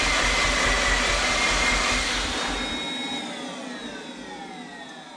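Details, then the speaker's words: 2007 Mazda RX-8 rotary, sat about two years and quit running, third cranking attempt after fuel-line repair: fast even starter whirr winds down without catching, no start. Coolant reserve tank empty; owner suspects possible coolant seal issue. "Well, it looks like we're a no-go there."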